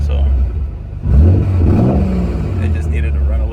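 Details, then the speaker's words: Nissan 300ZX Z32 after fuel filter relocation and removal of the evap system, following a fuel pump problem: engine pulls up through the revs and settles smoothly, the earlier hiccup on throttle gone; running clean. "well guys it seems to be running a lot better now doesn't have that that little hiccup on uh on throttle"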